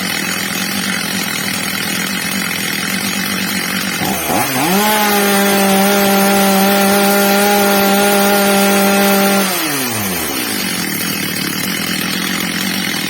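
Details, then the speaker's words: Old, well-worn Stihl MS230 chainsaw after fitting a new replacement carburettor, during its adjustment: steady idle, clean rise to a high even scream held about five seconds, then back down, normal high-speed run. "teraz drodzy widzowie byliśmy świadkami ustawienia gaźnika pierwsza co robiłem Zwiększyłem śrubą wkrętem regulacyjnym tel wkręcają delikatnie Zmniejszyłem dawkę paliwa obroty pilarki zwiększyły się"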